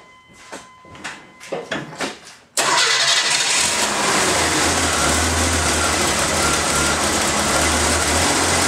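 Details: Engine started after refitting the air filter and cover, listening for air-leak hissing; a few clicks, then it fires at once and settles into an even idle with no hissing; normal start, no air leaks.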